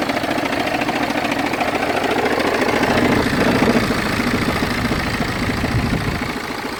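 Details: BMW 320d F30 diesel at idle makes a rough grinding judder, about three beats a second, that disappears when revved and returns at idle; the fault is intermittent, absent for weeks, with vibration felt through the clutch pedal; cause unknown.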